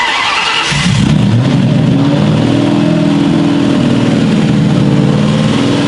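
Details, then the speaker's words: Built Mustang GT on first start, take two, cam break-in holding 2000 rpm: a loud open-exhaust roar climbs and holds a steady speed with no misfires or ticks; oil pressure good, a little steam from a suspected small water leak; normal running. "we're gonna break in the cam hold it 2000 rpms and then maybe we can cruise around the block we'll see we got our fingers crossed but here's take two and i gotta say it's louder and it sounds crazy"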